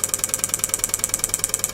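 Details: Relay module on a +5 V supply, driven by a signal generator at about 10 pulses a second: crisp, identical clicks with no chatter; normal clean relay switching.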